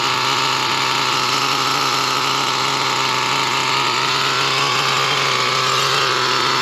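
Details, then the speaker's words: Traxxas T-Maxx nitro RC engine, about 54 tanks in, low-speed needle given a quarter turn, warming up: fast steady buzzing idle that won't settle lower; idle set too high, to be lowered. "lot of people are saying the low speed or the idle is too high so we're going to bring down that idle a little bit"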